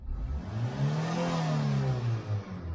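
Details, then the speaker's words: Engine previously limited to 3,000 rpm with flashing engine management light, after battery disconnect and ECU re-tightening: sweeps smoothly to 4,000 rpm and back, no misses or stumbles; normal free revving. "i can rev to 4000 no problem"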